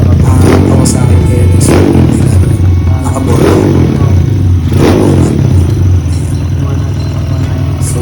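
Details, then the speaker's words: Kawasaki KLX 150 freshly rebuilt with a 193cc big-bore upgrade and a 30mm SWR carburetor, just started. It blips up cleanly several times from a steady idle and settles back, firing evenly with no knock or rattle; healthy. "So ito na, no, napanda na natin. So ayan yung tunog niya."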